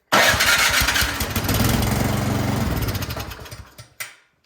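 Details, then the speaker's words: Troy-Bilt snowblower that won't start, has gas, oil and spark: fires on starting fluid, chugs raggedly about three seconds then dies; carburetor not feeding fuel. "all right so something definitely going on with the carburetor"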